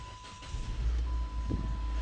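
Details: Car with a P0335 crank sensor no-start, after crank position sensor work, with a scan tool reading engine speed: the engine catches quickly and settles to a smooth low idle under a steady electronic beep. It starts normally.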